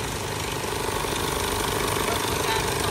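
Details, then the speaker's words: Isuzu Altera aircon: harsh rapid rattle about three beats a second over idling engine, steady and loud; noisy compressor with refrigerant leak, to be recharged and leak repaired for compressor safety; cause not confirmed. "oh ang ingay mas maingay pa dito o ganun din ang gagawin natin dito sir para maging safety yung compressor"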